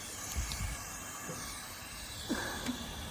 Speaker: So, as you hear that airline whistling out, that's a pretty easy fix. I just uh I got to come up here and reattach this airline.